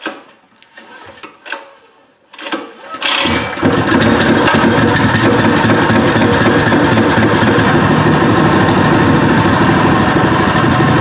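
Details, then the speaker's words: New Pro Point 208cc 7hp gas engine, first start: a few hard recoil pulls, then catches and settles into steady even fast idle, vibrating heavily but running fine. "god it's vibrating so much and that's how you turn it off"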